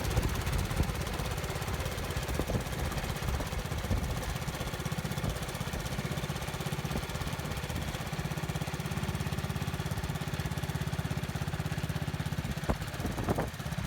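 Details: 1970 Bolens 1253 garden tractor, single-cylinder, warmed up after first run in years on a drive: steady thump under load, revs up hard when load removed, governor suspected; occasional blue smoke, valves possibly need work.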